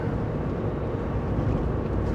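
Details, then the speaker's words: 2007 Jeep Liberty on the highway at cruise after front driveshaft, CV shafts and gear oil replaced, fixing earlier roaring and crunching and lost 4WD: steady low road drone with no clunks, grinding or vibration. Some BF Goodrich tire noise remains. "But no vibration, no crunchy sounds. That's a big win, right?"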